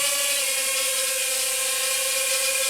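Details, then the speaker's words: iFlight Nano 1206 4500kv brushless motors on a quadcopter in flight: steady high motor whine with a faint rough edge and slight vibration from bearing play in one motor. "I'm not a huge fan of that one of these motors has a little bit of play in the bearing yeah that's right"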